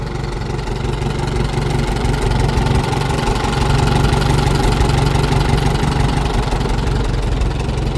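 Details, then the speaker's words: 1949 J.I. Case LA tractor that made a little over 60 hp on a dyno, running: steady even low chug at moderate speed, no knocks, misses or surging; a gear noise heard at low speed goes away on throttle. Healthy engine. "It's a really good running engine. Like I said, it made a little over 60 horse on a dyno."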